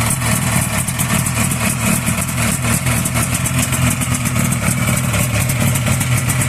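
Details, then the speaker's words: Buran Leader snowmobile two-stroke idling with cowling removed: rough, uneven knocking about four per second; fan bearing checked and seemingly ruled out, owner suspects crankshaft or piston inside the cylinders; engine knock, not confirmed. "Слышь, стук где-то. Коленвал. Или поршень."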